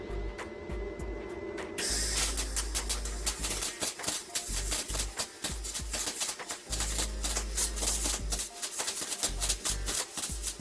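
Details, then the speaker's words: Tooliom TL-250M MIG welding plate steel at about 225: harsh, irregular crackle with uneven pops instead of a smooth sizzle; sounded bad but weld wet in well, possibly too hot. "all right it sounded like absolute garbage but it came out good so I don't know what to say about that"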